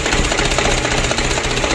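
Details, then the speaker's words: Mitsubishi Canter diesel engine just rebuilt after overhaul (valve clearance set 0.40, Meditran S oil), first start: dense even diesel clatter at steady idle, no misfire gaps or heavy knock; healthy fresh start. "alhamdulillah lancar berminyak ya untuk awal hidupnya seperti ini"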